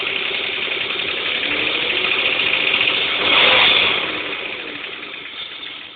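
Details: BMW M50TUB25 engine at idle: fast, light clicking about three to four per second over a quiet idle; cause unknown, owner asking for advice.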